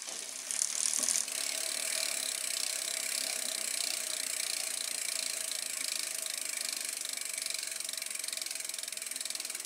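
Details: 2012 Trek Navigator 2.0 after its Shimano freewheel and rear gear assembly were replaced. Fast, even ratchet clicks slow as the spun wheel coasts, with no grinding or rough bearing noise; a healthy freewheel.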